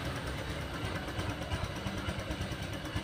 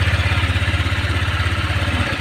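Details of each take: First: Honda Vario 125 run with the radiator water pump removed: soft, even idle with no grinding or whine. The strange noise came from that pump's hardened seal and rough bearing. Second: Honda Vario 125 scooter at a fast, even idle with a gritty rattle, loud at times and intermittent, also heard when starting. The CVT was ruled out; the cause was a radiator water pump with a worn seal and bearing.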